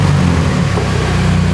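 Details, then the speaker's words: Mini's first start after a new exhaust and back box were fitted for its MOT: a short burst of deep, even burble and a smooth low drone, with no blowing or rattles. The new exhaust sounds sound and tight. "Sounds alright. Oh, I can like that. Oh, I like that."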